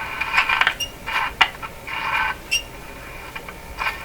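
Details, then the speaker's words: 1940s RCA Victor A23 AM/shortwave tube radio at first power-up: irregular sharp crackles and fizzing bursts; the set goes quiet, then recovers. A short comes and goes, possibly a bent plate in the tuning capacitor. Intermittent crackle. "so the Raiders gone totally quiet because something is shorted out but shorts gone again so come and go could be a bent plate on the capacitor"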